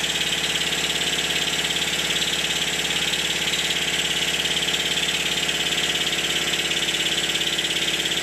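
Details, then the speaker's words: Stuart Triple model steam engine after the eccentric sheaves were reset for valve timing: crisp, even exhaust beats at about three and a half per second over a steady hiss. It runs sweetly with no knocking. "listen to it in the next clip no knocking by gripping the flywheel I can feel how much power the engine has"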